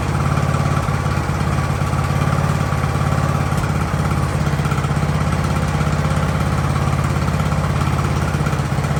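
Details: Ariens hydrostatic-drive riding mower, sat at least two years, idling in neutral in a cramped shop at about 30 degrees: steady, even single-cylinder putter at constant speed, no surging or dying out; normal idle.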